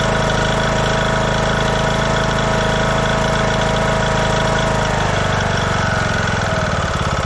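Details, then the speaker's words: 2014 Craftsman T1600 lawn tractor, Briggs & Stratton single-cylinder, after bypassing the broken blade safety switch: steady, fairly even constant low drone; healthy normal running. "But yeah, this thing runs great. So the only big problem with this thing was the blade safety somehow got detached, broken."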